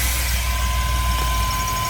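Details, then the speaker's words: GMC Safari 4.3L Vortec V6 with code P0305, check engine light on, before plug/cap/rotor tune-up: low idle rumble with faint uneven thump now and then, misfire on cylinder 5. "we got the light on and as it runs for a while you can really kind of hear the Miss oh I can feel it"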